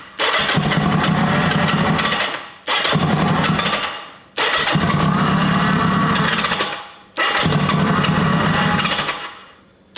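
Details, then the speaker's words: 1980 Kawasaki KZ750 motorcycle with a fuel line leaking at its connection: four cranking bursts, each catching and running rough for two seconds, then dying when the starter is released; the owner suspects the ignition cuts out with the starter button. Not confirmed. "It almost sounds like it's killing the ignition when I kill the starter button."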